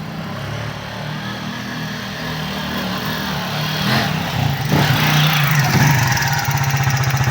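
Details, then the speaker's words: 2013 Keeway RKV 200 motorcycle after repairing its slow, hanging electric-start fault; now starts instantly, rides closer, revs cleanly and settles into a steady even beat with no popping, heard from a distance on the street — normal running, no longer smoking. "Ahí va. Se escucha bien desde lejos."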